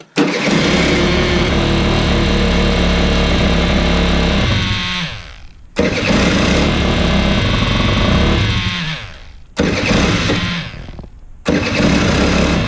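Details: Aprilia SR50 scooter with Polini full motor build, after fitting a custom rebuilt fuel pump with adjustable fuel-flow control knob, catches and revs a few seconds, sags and dies, repeatedly; starts then stalls, unsure if it needs more or less fuel.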